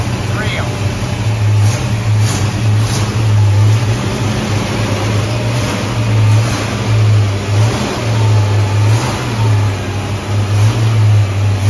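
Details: Ford Mustang carbureted V8, idle turned up slightly: steady, even low rumble with no stumble, surge or hissing, settling into a smooth, healthy idle.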